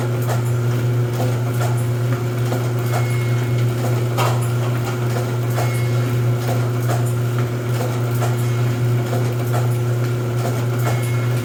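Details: Rosback 250C (318) 3-knife trimmer with CueFeed feeder, new DC controller fitted, delivery not running so books caught by hand: steady low motor hum with knife stroke thumping about every two and a half seconds, unforced; normal trimmer running cycle.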